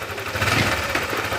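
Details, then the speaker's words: Honda Click 125 V3 scooter idling with a rough rattling chatter and a dry metallic rasp from the top end, before the pulley was removed. Others suspected the crankshaft, but the cause was a worn camshaft bearing. "Ito kasi parang may problema, parang medyo maganit sounds. Ayan o, rinig nyo."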